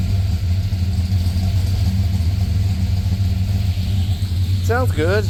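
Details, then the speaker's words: Truck just after a DOD delete and new tune: deep V8 rumble with an uneven, stumbling beat and exhaust pulse dips, serious misfires on the passenger-side bank; suspected faulty MSD coils, not confirmed. "Justin knocked it out, and truck has some serious misfires on the passenger side."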